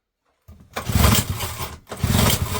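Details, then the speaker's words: Small JLO two-stroke engine on pull start at full throttle, fuel tap on, air cleaner cover missing: two short bursts sputter to life on the first pull and die. It fails to keep running; the carb may need stripping. "Oh, we had life on the first pull. We did, we had life on the first pull."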